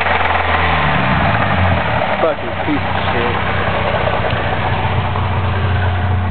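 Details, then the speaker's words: Cavalier petrol engine idling with a low hum and a loose, uneven knocking underneath. "Alright, let's go listen to some knocking. Gotta love that sound."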